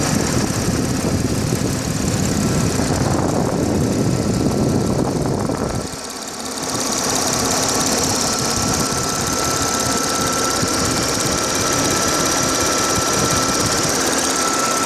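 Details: Audi A6 4F 3.0 TFSI at standstill idle, phone mic moved over the engine from above. Fast, light ticking over steady idle, about three per second, unchanged as mic moves; source in engine bay unclear.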